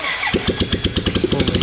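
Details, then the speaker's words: 2008 Royal Enfield Bullet Machismo 350 ES, long-stood, after restoration, running without silencer: sharp, harsh open exhaust thumps about eight a second after start-up; odd raw sound from missing silencer. "बिना silencer है, कुछ ऐसी अजीब सी आवाज़ आ रही है, कितनी अजीब सी आवाज़ कर रही है यार।"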